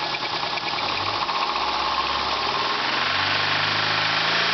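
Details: 2000 Subaru Legacy GT at rough idle with a hard, irregular knocking of about three a second over the engine note; suspected rod knock, and the engine later blew up.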